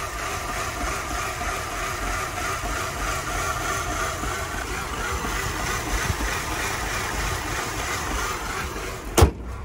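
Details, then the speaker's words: 2005 Mercedes CLK 320, in gear with parking brake on, heard under the hood: low uneven idle with faint irregular knocking, car rocking and shaking; rough only when stopped, not when driving, AC on full nearly stops it; cause unknown. "it's what it looks like and sounds like under the hood it does sound like there's a bit of a knocking"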